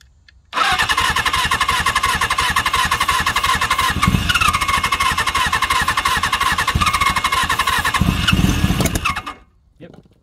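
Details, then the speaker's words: Suzuki GS750 motorcycle, sat since 1983, air filter removed, first attempts: starter churns a few beats a second with brief louder catches as cylinders fire but won't keep running; carburetors need cleaning. "got another fire all right well that my friends will run however it's going to take a lot more because I have to undo the carburetors clean them out"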